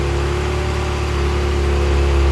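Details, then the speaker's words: Ferrari F355 V8 after top-end rebuild, fully warm with fan cycling: smooth, even idle with steady low hum, no misses or knocks; no warning lights, no leaks, idling well. "idling good. No warning lights, no slow down light."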